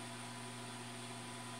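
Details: New automatic egg incubator bought online, just switched on and warming toward its 37.8°C setpoint: quiet, steady low hum with a constant airy whoosh, no rattles or pitch changes; the fan is running normally.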